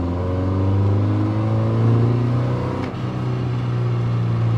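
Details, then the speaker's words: Porsche 944 over 40 years old, after long storage, revved then off throttle: heavy drone with a faint rising whine and grinding from the rear transaxle; worn transaxle gears suspected, possibly partly normal wear. "there's a distinct sound coming out of the back of the car it's definitely a transaxle sound"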